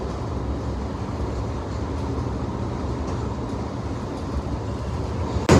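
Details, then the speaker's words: Front rail car just starting to roll: a heavy low rumble with faint irregular thumps, from a bad wheel on that car. "bad wheel, you can hear it."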